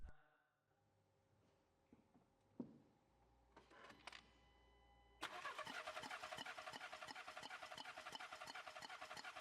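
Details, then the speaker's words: VW Golf 7 that refuses to start: the starter spins the engine in an even chug of about three beats a second but it never fires. A spark test with the plug held against ground shows no ignition spark, so it cranks without starting. "So, and as we can see, we're not getting any spark at all. That means the engine won't start up, because it's not receiving any spark."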